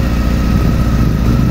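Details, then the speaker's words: 2007 Honda Hornet 600 four-cylinder after cutting back the leaking vacuum hose and re-synchronizing the carburetors: smooth, even, low steady idle with no stumbling or hunting, responding better; normal idle. "melhor agora respondendo melhor Mangueiras né Qualquer entrada de ar falso aqui da B.O na moto"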